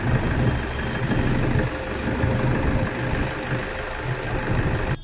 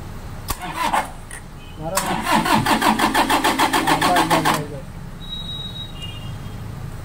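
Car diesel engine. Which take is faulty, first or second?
second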